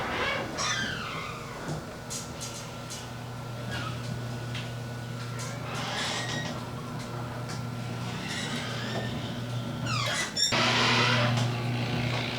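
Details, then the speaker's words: Garage door opener on an AMARR door before Green Hinge System install, recorded on camera microphone: low motor hum with intermittent high chirping squeaks as door travels; the belt rail (racetrack) is squeaking, to be fixed. "The only thing that was squeaking was the racetrack on where the belt runs, but we'll get that fixed."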